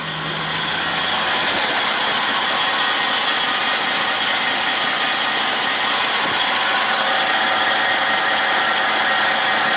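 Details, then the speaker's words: Freightliner truck diesel with turbocharger fitted the previous night, before a test drive: steady run with an even airy rush and no flutter or surging; boost coming up, turbo spooling normally. "this is the one we put the turbo on last night so i'm just making sure that the boost comes up on it i'll take it for a drive here after a bit but i can already tell right now the sound"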